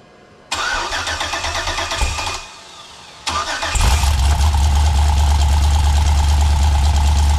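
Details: GM LS 6.0 V8 on a stripped factory truck harness, after fixing a loud passenger-side noise where the bent dipstick caught the windage tray and was hit by the crank: cranks, catches, settles into smooth idle, no knock or ticking.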